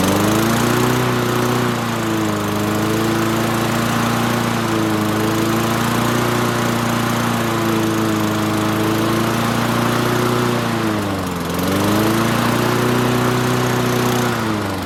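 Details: Toro Recycler mower with Tecumseh 6.5 single-cylinder engine: steady buzz with governor easing speed up and down, then even settled run; sounds healthy.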